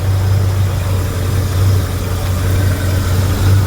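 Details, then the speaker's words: 1977 Mercury Cougar after fuel pump replacement and a rerouted hose at 5 psi, cold day: deep steady idle with an even low rumble, no more clacking or ticking; normal idle. "no more clack clack clack clack clack clack. I think it's fixed."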